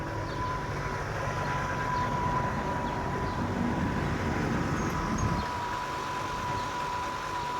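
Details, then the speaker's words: 2000 Mercedes-Benz S500 Airmatic air suspension after a part replacement: steady low buzz with an even thin hum and no surging or knocking as the compressor pumps the car up normally. "now I can hear a little bit of uh little bit of buzzing but that's that's normal"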